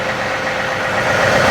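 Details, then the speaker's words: John Deere 3038e diesel tractor after rockshaft valve disassembly and adjustment, three-point hitch raised to nine: steady, even idle with no bogging or pump groan; hitch stops without binding the pump, normal hydraulic operation. "go all the way up to nine and it stops without binding the pump uh so that's great"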